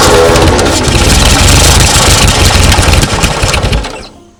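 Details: 1939 Ford tractor sat in field 20+ years, hand-choked: uneven chuffing bursts catch briefly, then die away to quiet; hard start.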